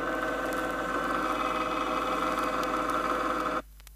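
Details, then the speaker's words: Chrysler rear axle, ring and pinion with the pinion moved 2/1000ths of an inch out of the drive gear: a slightly louder sound starting to take on a grinding, sharp character. Ring and pinion gear whine. "Notice that the sound is very low decibel and is in the nature of a hum and not harsh."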